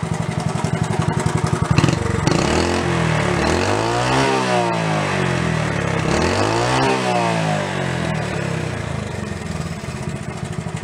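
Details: Worn barn-find Honda CT70 Trail 70 after points, valve, timing chain and camshaft repairs, warmed after 5–10 minutes running, some smoke from oil burning off in the muffler: putters evenly at idle, revs cleanly twice; normal running.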